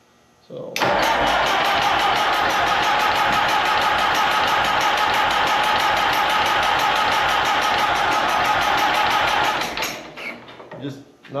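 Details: Allis Chalmers M tractor with rebuilt magneto, carburetor, fuel and compression checked: steady cranking about three beats a second for nine seconds that never catches; weak spark suspected from the magneto's internal coil, planned conversion to external battery coil pack.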